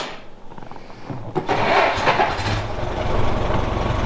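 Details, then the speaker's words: 1917 Ford Model T, tires just inflated to 40 psi: the starter whirs briefly and the engine catches, then settles into an even, steady low chug. A clean start. "Let's take this thing for a spin. See if we can get her to start. I like to hand crank it, but it does have an electric start."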